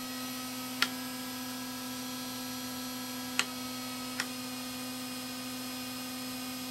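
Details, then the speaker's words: HeathKit IG-72 audio generator driving a synchronous motor near 158 V and about 300 Hz, filter removed: steady rough electrical buzz from the transformer because its drive signal is no longer filtered. "and you see i do get it but you can hear the transformer buzzing because it's not filtered anymore"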